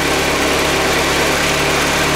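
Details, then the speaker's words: 2001 BMW K1200RS at idle, clutch slip cured by Coca-Cola flush; busy thin whirring rattle over the engine note, owner suspects the clutch release (thrust) bearing that pushes the plates, unconfirmed. "I'm still getting a little noise from the, what we call it, the thrust bearing. It's a bearing that when you press in the clutch, it pushes against the plates, which you can hear this in a minute."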